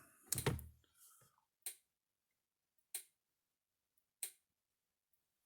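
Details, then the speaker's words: Gallagher M600 electric fence charger built 2007, about 13 years old, just plugged in, gives soft, thin clicks about every 1.3 seconds lacking snap; owner suspects a bad capacitor: weak pulse clicking. "It's kind of weak sounding. It doesn't sound very stout. Like this clicking sounds kind of soft."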